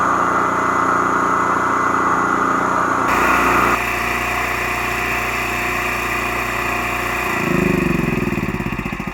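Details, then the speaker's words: Harbor Freight Predator 8750 generator just after carburetor replacement with new fuel line, filter, gaskets and air filter; engine shifts pitch a couple times then holds a steady beat without hunting: running normally, previously surged. "so that's how it was supposed to sound before I did this it was searching a lot so I hope this helps you with your predator a 750 generator from Harbor Freight"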